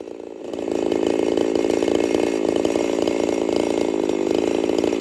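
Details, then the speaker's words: Jonsered 2149 50cc race-build chainsaw, factory air intake, warm restart, cutting: ragged popping crackle through the high buzz, won't clean up, like four-stroking; owner fairly certain of ignition coil issues. Misfire from weak ignition coil. "It's got some coil issues. It won't clean up. She's got a pop to it, just almost like your four-stroking or whatever, but different. I've done this enough. I'm fairly certain it's got coil issues."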